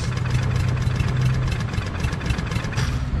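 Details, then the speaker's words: Craftsman push mower with a Briggs 550EX auto-choke engine, fresh fuel, with fuel dripping from the carburetor. Uneven chugging with ragged missing beats; sputtering and running rough, and a stuck carburetor needle is suspected. "something's sticking the needle's probably stuck so it's sputtering"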